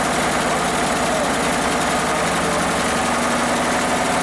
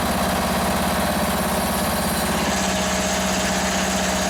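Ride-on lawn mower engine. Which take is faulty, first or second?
first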